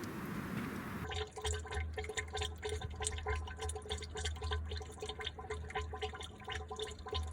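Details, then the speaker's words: 1975 Autocar truck with engine off, after new hoses and belts: irregular gurgling and dripping as air bubbles up in the radiator; blocking the shutterstat changed nothing, cause unknown, owner checking the air compressor discharge line. "I did notice an issue yesterday. I'll put a clip here. Getting air bubbles in the radiator when the truck is off."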